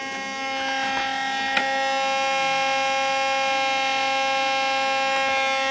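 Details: Dell Dimension 2400 top CD drive making a steady high-pitched, layered whine after being manually ejected with a pin during a software install; it keeps spinning without stopping, and after a restart the drive worked fine.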